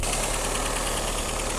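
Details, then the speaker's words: 1990 Dodge Omni after about 15–16 years sitting in a field, first run after fuel pump work: uneven, lumpy idle with a ragged ticking beat over the exhaust, no smoke; engine running rough and still settling after long storage. "Good times. Good job. It doesn't sound good. Well, it sounds fine for a vehicle that's been set how many years? It's trying to figure itself out here."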